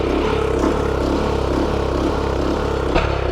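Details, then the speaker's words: Garden tiller small engine, fuel run out before winter storage, hunting surge: runs unevenly, rising and falling about twice a second instead of holding steady. Owner suspects a clog in the fuel line, not confirmed. "It's a surge. Usually the surge is caused by some kind of clog in the fuel line."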